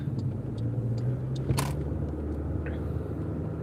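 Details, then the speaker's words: Car driving after replacing a worn wheel bearing on one side: steady low road rumble, no wheel hum, now quiet enough to hear other suspension noises. "It's nice, man. It's nice and quiet. So now I can hear the other suspension noises and stuff."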